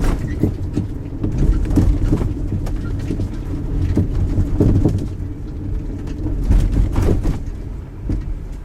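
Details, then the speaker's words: 2004 Honda Element recorded from inside the rear while driving, before the repair: dull irregular clunks every second or two over bumps from worn rear stabilizer bar bushings, confirmed after replacing them. "for some time now I've noticed a bit of a clunk coming out of the rear end of my 2004 Honda Element"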